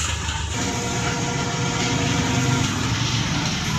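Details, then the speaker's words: American Home Smart Sense automatic washing machine, about 10 years old, after gearbox and balancer/suspension rod replacement: steady, even spin hum with low drone, no knocking or wobble; now quiet, heavy shaking gone. "Ayan, tahimik, o, di ba? Ang laki ng diferensya."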